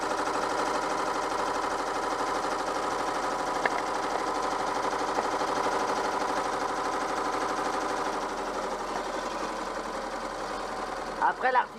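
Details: Peugeot 104 GLS raised on stands with both front wheels off the ground, left wheel turning stiffly: steady driveline whirring drone with an uneven rhythmic rasp, about three beats a second; owner suspects a broken driveshaft (CV) joint, not confirmed.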